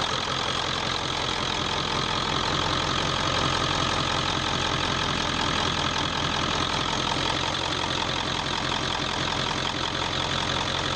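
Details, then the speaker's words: 1995 Ford F250 4x4 7.3 Powerstroke turbo diesel idling after glow plug and wiring harness replacement; steady, even clatter with no misfire or stumble, pressure good, sounds much better than before; normal diesel idle. "edges look good that sounded better kind of a hey a lot better than it was the edges still look good not too cold pressure's good"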